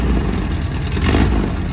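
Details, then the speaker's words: Class 11 race Bug, air-cooled flat-four just mounted and given fuel and ignition, first run at 2 a.m.: deep, loud, even chugging idle, steady with no knocks. Normal idle. "on. Sounds good. You sound so good."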